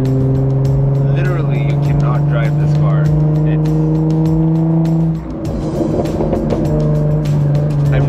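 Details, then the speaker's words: 2017 Jaguar F-Type V6 without the active exhaust option, muffler deleted, cruising: loud, steady low boom holding one deep pitch with a heavy droning throb. Exhaust drone caused by the muffler delete. "ing I have never heard so much droning from an exhaust in any more and obviously it's a factor that each car actually sounds different when you do a muffler delete four-cylinder and six-cylinder right"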